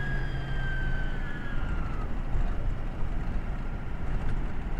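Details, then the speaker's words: Ford 6.0 Powerstroke after new high-pressure oil pump, oil cooler and used turbo, driving: high whistle over road roar slides down and fades as boost escapes from the blown upper turbo intake boot. "something was screaming did you hear that I just blew the [Laughter] boot crap oh man [Music] oh it's the upper boot"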